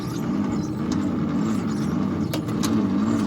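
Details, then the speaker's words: 1953 International L160 cranked after gasoline was poured into the carburetor: slow, labouring starter churn with a sluggish beat that never catches. Battery is thought dead; plan is to charge it and clean the carb. "we're gonna get this charging because we think it was dead and we're gonna hopefully clean the carb see if that does anything for us"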